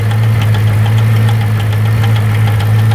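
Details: C5 Corvette Z06 V8 at idle, strong low drone with faint light ticks in clusters of three; owner suspects valvetrain, cause unconfirmed.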